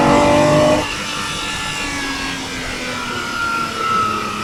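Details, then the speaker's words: Ferrari 365GTBS/4 Daytona Spider V12 warmed up, repaired to run on all 12 cylinders: strong, smooth pull on open throttle with an even rising note, instant response and no misfire or stumble. "you press the throttle down and the sheer power of the engine opens the the lifts the front of the car right off off its right height just absolute grunt amazing"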